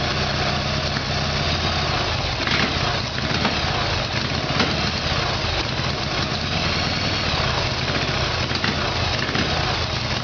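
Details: Harley-Davidson Evolution Sportster, rear cylinder was not firing: uneven, lumpy V-twin beat with irregular firing over steady exhaust drone; carburettor fault causing rough running, before new iridium plugs and timing.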